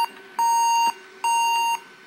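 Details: Averatec 3200 series laptop, dead with black screen and orange-red and blue lights on, does not boot: a short chirp then long steady high beeps about half a second each, repeating roughly every second; boot failure beeps, cause unknown.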